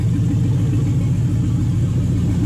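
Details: Toyota/Lexus UZ V8 on the Spitronics ECU, first start in this setup with a barely adjusted map. Lumpy, stumbling low idle on 4 cylinders; the owner relates it to a coil-type fault with the cylinder mix-up.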